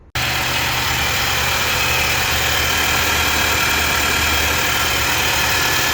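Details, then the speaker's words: 2019 Nissan NV3500 5.6 L VK56VD V8, about 38,000 miles, idling after replacing a hose with a new OEM one to cure a loud screaming noise: smooth, steady idle with even hum, no whistle or hiss; noise eliminated. "and there we have it noise has been eliminated i have the new oem hose in place"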